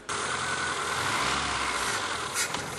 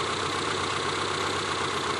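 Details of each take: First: ZAZ Slavuta injection engine with hunting idle caused by a dirty throttle body: throttle held open at a steady raised rev, otherwise it stalls, with hissing bursts of carburetor cleaner sprayed into the intake to clear soot from the throttle and intake manifold. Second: ZAZ Slavuta injector engine after cleaning a dirty throttle body: even, steady idle with no hunting or dips, revs stable and throttle response good; normal idle after repair.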